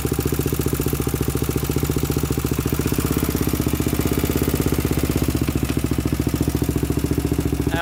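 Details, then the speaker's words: 2000 Honda 400EX single with cheap eBay piston and cylinder, first start: fast, even thump at idle with loud metallic top-end rattle, no smoke; slack cam chain slapping, later tightened. "what you guys think sounds kind of kind of weird like there's a tick in the top end"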